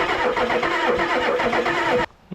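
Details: Revived turbo Ford 6.9 IDI diesel with cleaned injectors and return lines cracked to bleed fuel. Cranks steadily with even compression pulses but never catches. No fuel came from the high-pressure pump because the fuel shutoff solenoid was not powered.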